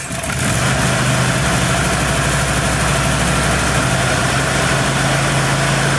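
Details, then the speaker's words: Troy-Bilt riding mower, Kohler SV710 Courage single-cylinder, starting with throttle lever fully forward engaging choke and parking brake set, after fixing no-start: catches quickly, settles into steady even thump, no misses; normal start and idle. "so now i should be able to turn the key and the engine should start and then i'll have to throttle it back down to disengage the choke mechanism"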